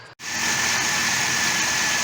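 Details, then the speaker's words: 2000 Chevy Blazer 4.3 V6, previously stalling at stops and running rough, started after replacing the distributor cap and rotor: catches into an even, smooth idle with no misfire or arcing; fixed. "Well, you can see it here, it runs pretty smooth. Everything looks good there. No arcing."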